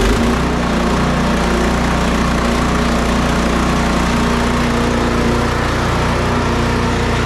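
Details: Snow Beast 45SB 45-inch snow blower with DEK 420cc single-cylinder engine, started up: steady, even running with no misses, knocks or surging; sounds healthy.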